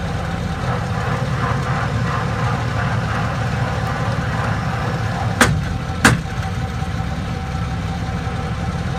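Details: 2001 Chevrolet Silverado driving in 4x4: steady low rumble with two sharp clicks from a worn transfer case; a used transfer case was installed and the grinding stopped.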